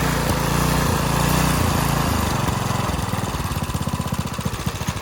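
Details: Garden Machines edger, 3.5 hp Briggs flathead, after refitting the air cleaner with a used filter: it runs fast and even for a couple of seconds, then its beat slows and loosens as it winds down, normal running.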